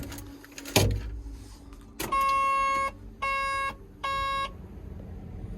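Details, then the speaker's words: Construction machine cab after a problem that nearly caused a fire: battery on with no smoke, a sharp click then three steady chimes about half a second apart; cab electrics power up normally, radio and wiper work. "Right, we're plugged in. No smoke. Battery's on."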